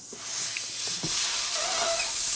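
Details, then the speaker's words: Rear tire (about 200 width, 18-inch) of a 2010 Harley Softail, slightly modified, at about 33 psi: steady high airy hiss of air escaping where a nail was run over; needs a tire plug. "ran over a nail. We need a plug. Looks like we need a tire plug."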